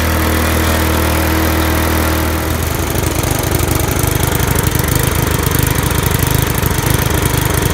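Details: Briggs and Stratton lawn mower engine after head removed, head gasket refitted and carburetor clean: starts and settles into a quick, even putter of about three and a half beats a second with no misfire; running healthy.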